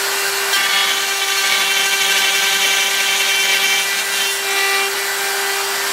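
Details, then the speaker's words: Router milling out an upper receiver with a long bearing-supported end mill sticking far out: a steady high-pitched scream with a harsh, gritty edge, showing end mill chatter from excessive stick-out. "that ml is really no it's sticking pretty far out you can hear the chat or even though it's supported with the bearing there it's still a lot endmill sticking out"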